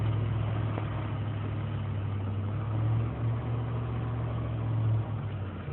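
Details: 2003 GMC Sierra Z71 5.3 L V8 (non-flex fuel), cold start after a night in single-digit temperatures: erratic low hunting idle dipping to 500 rpm with lean and misfire codes; failing intake manifold gaskets suspected, letting air in.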